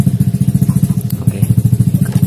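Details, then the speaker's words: Yamaha FIT-X scooter after worn tappets replaced, engine no longer rough when revved: steady single-cylinder idle with a light, even tick on each firing pulse from a slightly worn camshaft lobe; valvetrain tick. "Dan untuk di sini itu masih ada seperti tek sedikit ya. Sebenarnya itu adalah dari noken, karena posisi nokennya itu memang karena termakan sedikit ya, jadi tidak bisa rata."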